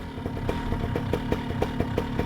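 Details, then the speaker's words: Vittorazi Moster EFI fuel-injected two-stroke paramotor engine, started by double tap with the safe-start cutoff window, left idling to warm up. Light idle with quick even pops and a steady low drone, nothing irregular: normal two-stroke idle. "double tap cranks right up now gonna let it run warm up"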